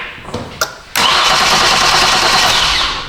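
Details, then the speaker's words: 2015 Kia Sorento 3.3 GDI with an intermittent crank-no-start the dealer couldn't fix, checked after only removing the fuse/EMS box lid: a steady starter whir for over two seconds and the engine never catches; it cranks but won't start. "so that's good at least it still doesn't start"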